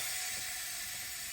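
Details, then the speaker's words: Fully built BMW engine, cams removed, cylinder leak-down test with engine off; owner suspects exhaust gas torched a valve seal, boost leaking into crankcase. Steady even hiss of pressure leaking out the port, likely past a valve; head coming off. "You can probably hear there, the pressure is leaking out of the port."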